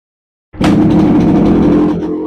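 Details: 1979 Yamaha RX125 two-stroke, first start after full rebuild with new piston and rings, aftermarket exhaust, breaking in on injection oil, kickstarted: catches at once into a crisp, even two-stroke note that tapers off; healthy start.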